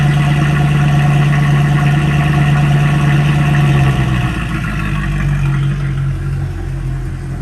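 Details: Mercedes CLK63 AMG V8 cold start: deep, even burble with a steady low pulse, settling slightly lower after a few seconds; smooth, healthy cold idle.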